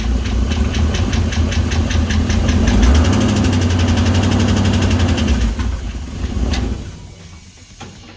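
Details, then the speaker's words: Toyota Toyoace truck with swapped engine, first start in truck with exhaust, no cooling: starter cranks at about four beats a second, never catches; owner suspects no fuel, return line draining tank leaving no pump pressure. "I wonder if I've got no fuel. Alright, so I need more fuel, mainly because this is a return system and the return line comes up so high."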